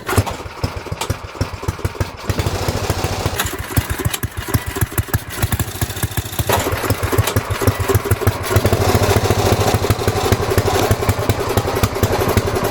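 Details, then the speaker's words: Snowflight snowblower with a Tecumseh Snow King engine after sitting all summer, fuel and oil drained last year, choke on and primed: chugs through rough pulses, then a steady, even, sharp-edged single-cylinder run; normal start and run. "Oh, yeah. Fuel's now dripping out of the carb from priming. And that sounds good."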